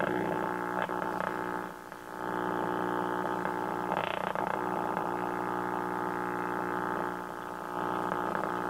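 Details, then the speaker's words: 1951 RCA Victor 1-X-51 AM tube radio on the bench: steady mains hum with buzzy growl under the speaker output; suspected disconnected filter capacitor, not confirmed. "wonder if it's because the fil the uh death capacitor didn't hooked [Music] up I don't know sure sounds like a passor is not where it's supposed to be"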